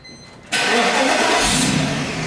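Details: 1999 Mercedes CL 500 (C140) with a dead battery, jump-started the regular way after an attempt through cabin wiring probably blew a fuse: brief quiet, then it catches at once and settles into a steady, even idle.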